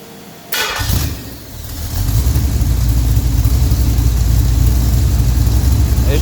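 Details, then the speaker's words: 1967 Pontiac GTO 400 rebuilt engine, compression lowered to 9.5:1 for 93 octane, competition valve job, Quadrajet carburetor, factory intake, stamped steel rockers; fires after a brief crank and settles into a deep, even, healthy lope at idle. "we're going to fire this thing up we'll let it idle uh we're going to wrap on the throttle a couple of times"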